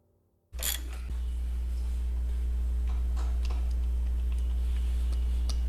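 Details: EZGO TXT gas golf cart engine that had been running rough and skipping badly, after repair of badly worn valves: catches after a brief silence and settles into a steady, even low thrum with no misses or knocks; healthy normal idle.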